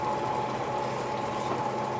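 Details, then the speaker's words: Brunswick pinsetter in garage bowling alley, cycling: even mechanical whirring, steady mid-pitched hum, no knocks or grinding, as the other blocking finger drops during the cycle; normal operation. "I'll go ahead and run it through a cycle here. And watch that other blocking finger drop. During the cycle it goes down."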